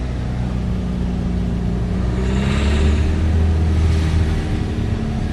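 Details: Renault Grand Scenic 3, 1.5 dCi (636 engine), revved to about 2500 rpm: a rattly detonation-like knock about four per second, also present at 1000–1500 rpm. Diesel injector knock; the owner cured it by replacing the injectors.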